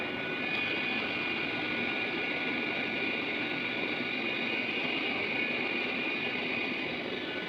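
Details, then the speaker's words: Room heater blower whose worn original motor was replaced with a brushless computer CPU fan. It gives a steady airy whoosh with a faint constant whine, a bit noisy but smooth, with better airflow and no rattle. Normal running. "and its airflow is a lot better, and this motor is running smooth rather than its own one. Although it is a bit noisy one, but it works a lot better."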